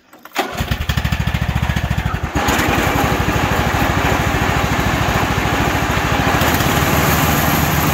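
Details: Craftsman hydrostatic riding mower after fitting used, sharpened new blades to cure a deck noise and scalping: the engine cranks, catches within half a second and settles into a steady, even run with no rubbing or scraping. It sounds normal.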